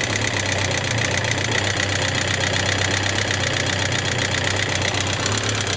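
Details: Suzuki GSX750S Katana ticking since the day after hard revving, 20+ years; rocker arms, camshaft and cam-chain parts replaced, tappets set 0.07–0.15mm, unchanged: busy uneven clatter about four ticks a second over steady idle; cause unknown.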